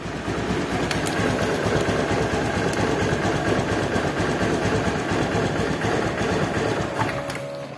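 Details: Honda Beat injection scooter CVT after fixing a clunking (klotok) rough CVT, parts reinstalled: even, steady belt-drive hum with no clunking or knocking; smooth and quiet normal running.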